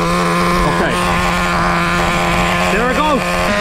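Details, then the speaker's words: Traxxas Nitro Slash 3.3 nitro engine during break-in, idle too high with a steady fast buzz because the low-speed needle is lean. Richening the low-speed needle drops the idle to a proper level. "all right idle is dropping I can hear it that is a much better decent Idol awesome response to a basic riching of the low speed needle"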